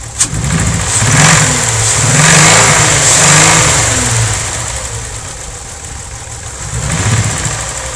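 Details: VW VR6 12V at idle, misfires on cylinders 2, 3, 6 (mostly 3), coilpack, plugs, wires, coolant temp sensor and purge valve already replaced: starts, revs, settles to lumpy stumbling idle, engine shakes, check engine light blinks; smooth while driving. Misfire at idle, cause unknown.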